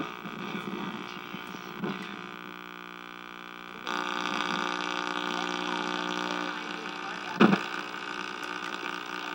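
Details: 1961 RCA KCS133 portable tube TV at power-up: a steady low buzzing hum grows louder with no proper sound from the speaker. Owner suspects the audio detector tube or circuit, possibly a tube with a mechanical fault; not confirmed.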